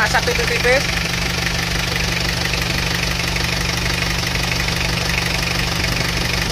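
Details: Isuzu Panther diesel after engine repair, idling: steady, even clatter with no heavy knock or misfire, compared against a Panther with replacement liners that shows thin oil-vapour smoke; this engine sounds healthy.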